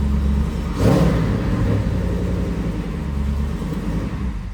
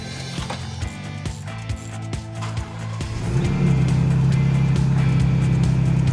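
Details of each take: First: Jeep Wrangler after replacing the starter that had been grinding on startup: the engine catches quickly and settles into a steady low rumble with no grinding. Clean, healthy start. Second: Jeep Wrangler sat for about three months: choppy clicking cranking, then a loud steady low growl for several seconds as the starter gear grinds on the flywheel; owner suspects a failing starter or loose connection, fixed by replacing the starter.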